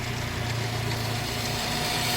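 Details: Toyota Vios petrol engine idling: a steady rubbing hiss and faint whine from the belt drive, caused by a tilted, misaligned drive belt tensioner, not the alternator or water pump.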